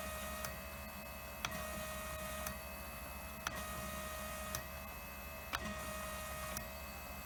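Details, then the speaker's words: Fuel injectors from a 1000 hp, 21 psi turbo Trans Am on E85, bench tested and cleaned: sharp clicks about once a second over steady electrical tone and hum; two injectors found badly clogged, gummed up by E85. "they told me yeah two of them objectors they were clogged up pretty bad they're gummed up with EA T 5"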